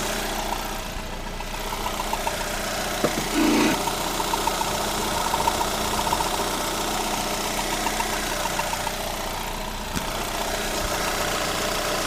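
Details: Lada Granta 126 engine just after full rebuild (bored block, new bearings, 82.5 pistons, new timing kit and valves), uneven idle with faint scraping rub; tensioner roller catching the crank pulley, gone after loosening the alternator belt.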